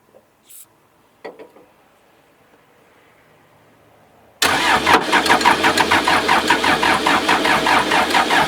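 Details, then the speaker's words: Old backhoe diesel sunk in a pond for seven months, pre-oiled, with some fuel there but possibly not fully bled. It cranks steadily at about 2.5 turns a second and never fires. Crank, no start; owner suspects it is cold-blooded and plans starting spray. "I got some fuel there. I don't know that it's really bled good, but it should do something by this point."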